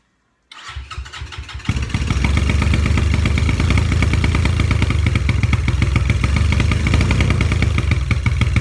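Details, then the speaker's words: Apollo 250 RX four-stroke motorcycle after about 50 miles: with throttle pinned, the engine chuffs unevenly, puffing and blowing smoke from the exhaust, a bad misfire; owner suspects an exhaust valve stuck open, and valve adjustment didn't help. "you have to pin the throttle open and you can hear it just puffing and it will just shoot smoke at the exhaust"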